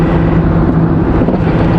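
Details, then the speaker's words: £300 Citroen Berlingo/Peugeot Partner diesel van, driving on motorway after recently running out of fuel: lumpy, wavering, stumbling drone, running rough again; engine light comes and goes, cause unknown. "Yeah, it sounds rough again. Jesus Christ. Listen, I don't care, it's still running."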